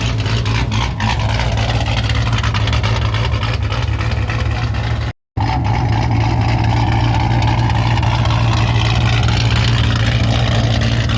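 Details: V8 after new TSP blower cam swap, start-up: loud, lumpy cam chop at idle with steady low rumble and a couple of blips; slightly choppier than before, no chop lost; healthy.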